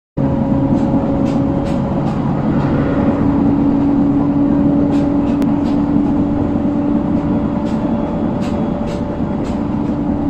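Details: JR 701 series train on the Joban Line at speed, louder on entering elevated section: steady rumble with a thump every wheel turn, about three a second, from a wheel flat spot.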